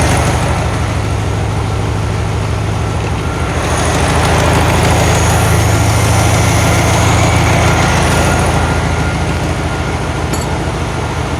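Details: 1972 VW Karmann Ghia, air-cooled carbureted engine, first run after sitting for many years, choke just adjusted: a low, throbbing idle that surges and dips slightly; a little jumpy with the valves not yet done, cause unconfirmed.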